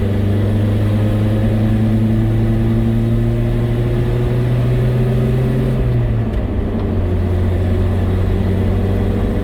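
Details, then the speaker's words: Datsun truck on a road drive after fitting a new carburetor, radiator and thermostat, choke still needing adjustment: steady engine drone climbing evenly, pitch dropping at a gear change; smooth, faster pull with no vibration or misfire. "it definitely is a lot smoother like there's no vibration right now and it's a lot faster too"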